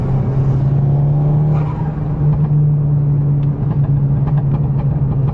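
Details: Mark 6 GTI with newly installed K04 turbo, recorded inside while driving; steady engine drone with short sharp fluttering chirps on throttle lift-off, turbo compressor surge flutter.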